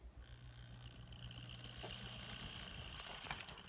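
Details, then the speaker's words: N scale Atlas SD35 Penn Central locomotive, possibly never run, first test on track: small motor hums with thin whine, then uneven clicks and rattle, stalls; drive binding, something out of place inside. "That doesn't sound right at all. So something's out of place in here."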